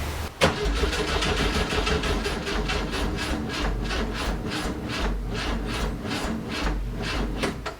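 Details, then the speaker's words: 1967 VW Fastback, cranks but won't start: the starter churns at about two beats per second with only faint coughs, and there is a hot-electronics smell. The owner believes the fragile igniter (ignition module) blew, and this is the third ignition tried. "i'm pretty sure i blew up the igniter that i've had in there they're really fragile and they're really easy to hurt"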